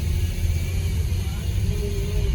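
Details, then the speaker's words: Peugeot 308 with EP6 petrol engine: heavy, steady low rumble when running, traced to a worn bearing in the water pump drive coupling. "bunyi mesin Ya maksudnya itu bunyi sebentar sepasang kecil ini musik mesinnya gemuruh sekali ya bunyinya"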